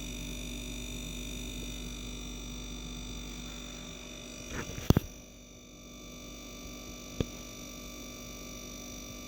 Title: Samsung dishwasher buzzing noise during sanitize